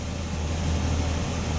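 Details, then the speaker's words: Mercedes S500 fitted with a known-bad E-gas throttle module from a 1995 car: idle sits high and steady, and pressing the gas changes nothing; limp mode from the faulty throttle module. "It's not keeping the idle. That's your limp mode. When you press on the gas pedal, nothing is changing."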